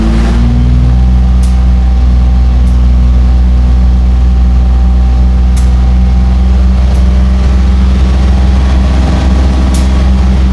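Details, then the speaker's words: 2004 Infiniti G35x with a used ECM, after codes cleared. The warm engine idles steady and even at about 750 rpm with no dips or misses, and no idle relearn was done. Normal warm idle. "I'm at 750 RPM on this. I'm not doing the idle relearn. I think you're fine."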